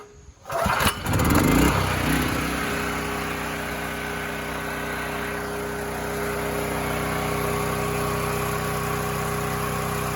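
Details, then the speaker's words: Near-new generator (two hours) that wouldn't start, after carb clean and pilot jet enlarged to 0.018 in (hunted badly before, still hunted at 0.013): cranks, catches, holds constant drone eight seconds without surging or hunting; steady running. "well i'd say that's a win but we still got to verify it's doing what it's doing"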